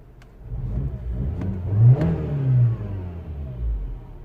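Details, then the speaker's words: 2007 Mini One R56, 1.6 engine swapped for original 1.4, complaint of weak idle: engine revved then drops back and holds steady idle without hunting or stalling; idle control healthy. "there we go he holds the revs absolutely perfect nothing wrong with it"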